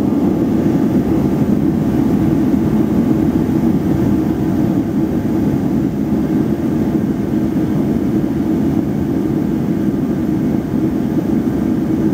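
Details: Reddy torpedo heater, 115,000 BTU, cover off during circuit board, photocell and igniter troubleshooting: steady, even roar from fan and burner with no surging, sputtering or rattles; heater running properly.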